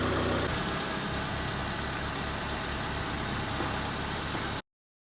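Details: 2002 Honda Civic 1.7L after alternator replacement: steady, even idle with a low, regular pulse and no knocks, squeals or belt chirp; the engine runs smoothly and healthy.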